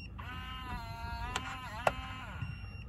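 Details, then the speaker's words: Defiant touchpad deadbolt after installation, unlocked with the default master code: short keypad tone, then a brief motor whir dipping as the bolt retracts and stopping cleanly; unlocking works properly. "right, so that opened. So the functionality is proper."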